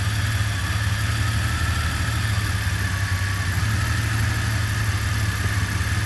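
A deep, loping idle with an uneven low throb that wavers instead of holding smooth; the engine is idling rough.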